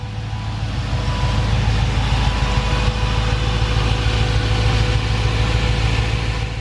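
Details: Honda S2000 with a swapped-in remanufactured GM LS V8 long block, dyno tuned and finished, AC blowing cold: deep, even V8 burble at a steady idle with no misses or knocks; engine running smoothly and healthy.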